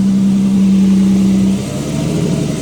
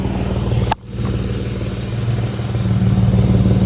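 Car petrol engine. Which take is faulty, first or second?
second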